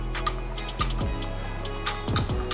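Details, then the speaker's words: Bagged car's air suspension valve block tested with no pressure: sharp isolated clicks a couple of seconds apart, weaker than a healthy valve's click. Solenoid valve sticking; owner suspects built-up gunk inside. "so now it's clicking but still not as healthy as that click"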